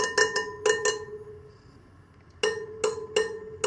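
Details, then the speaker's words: Sur Ron Light Bee spokes tapped one after another, each giving a bright ping at the same pitch; tension sounds even across the wheel. "see there you go now it makes a pinging sound though so maybe just a tad bit more like an eighth of a turn I just try to make it sound like the other ones"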